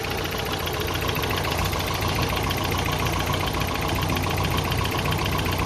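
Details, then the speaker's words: Toyota pickup 22RE after new engine computer installed, not overheating: uneven idle with irregular exhaust puffs and pops, three or four a second, still shaking; owner suspects timing never set to spec. "it's still shaking a little bit but other than that it's probably because i gotta need to put it valid in time a little better because i literally have not done that on spec yet"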